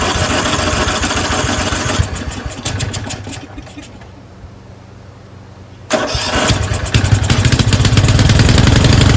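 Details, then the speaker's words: Craftsman 13.5HP 30-inch rear-engine riding mower, off choke after a corroded carburetor was cleaned: fires, runs a couple of seconds, sputters out, then catches unevenly. Fuel starvation, later traced to a collapsed fuel line emptying the bowl. "It wasn't getting enough gas. It was starving for fuel. That's why it runs well for the first 5 seconds or so."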